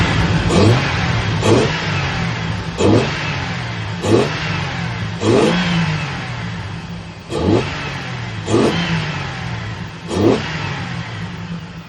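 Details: Petrol car engine, throttle snapped: revs up and down in repeated even blips, running smoothly with no stumble.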